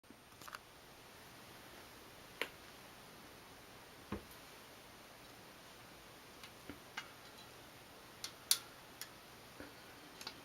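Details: New Shimano Dura-Ace C24 rear wheel with Ultegra cassette on a bicycle, properly torqued lockring; sharp irregular metallic snapping, creaking and pinging under pedaling load, reproduced with a chain whip; first blamed on the bottom bracket, which was replaced, but the wheel is the source.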